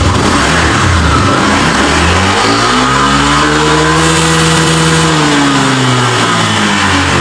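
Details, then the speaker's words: Honda Vario 125 (old) before repair: revs from idle to a held rev and drops back, pitch wandering; TPS value fluctuates at idle and injector reading off from the expected 2 ms; throttle body suspected, unconfirmed. "geber nah ini untuk uk bukaan gas kadang-kadang berubah jadi ini nanti kita akan cek di Bagan trotol body untuk masalah bukaan gas kadang-kadang berubah sendiri"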